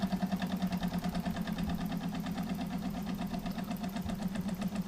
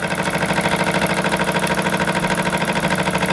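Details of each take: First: Jensen 76 model steam engine before repair, after two years in storage, with a broken window seal. Quick chuffing at about three beats a second fades, slows and stops as water and fuel spray out and the flame keeps going out: stalling from the leaking seal. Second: Jensen 76 model steam engine on dry fuel after rebuild/tune-up: quick, even chuffing with no knocks or stumbles, holding pressure. It runs far longer than before the repair.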